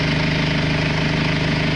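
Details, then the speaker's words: Audi 80 B3 1.9 TD diesel idling after a cold start at about 0 to -1°C, unused for 2 days: even, fast clatter with a steady low hum and no misses or knocks. Smooth, healthy idle. "To je taj zvuk tog 1.9 TDI-a. To jest TDI, ne TDI-a."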